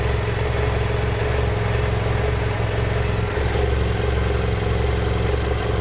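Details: 2010 BMW F800GS, 17,000 km, at steady idle: light, uneven ticking clatter over the engine; owner unsure whether valves or piston slap, cause not confirmed.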